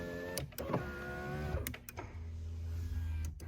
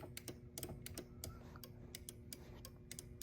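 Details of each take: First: 1993 Chrysler Fifth Avenue power window: steady electric motor hum, running smoothly with switch clicks between short runs. Rear windows don't work from the driver's switch; power distribution fault suspected. This window operates normally. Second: 1993 Chrysler Fifth Avenue: soft uneven clicks from the door with no motor whir when rear power windows are operated from the driver's switch; rear door switch doesn't click at all, power distribution issue suspected.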